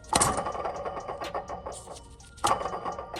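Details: 2012 Toyota Tundra, belt removed: gritty rattling clatter as the water pump pulley is spun by hand, from a worn water pump bearing; the pump is being replaced along with thermostat and valve cover gaskets.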